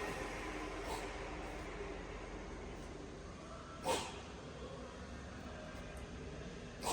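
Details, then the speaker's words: Fil (Italy) FA 120 dual-spindle bed milling machine, vertical spindle (ISO 50, 24–1600 rpm) at maximum 1600 rpm after 500 rpm: quiet, even hiss, no knocks or whine, only faint bumps; completely silent, normal healthy spindle running. "As you can hear, there is no noise at all. Even at its high spindle speed also, it's completely silent. There is no noise at all."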